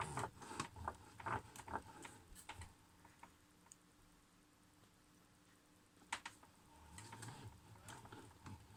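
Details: Logitech G920 wheel making a grinding/knocking noise when turned right, felt through the wheel and getting worse: irregular light knocks, clicks and clunks in a quiet room. Cause unclear.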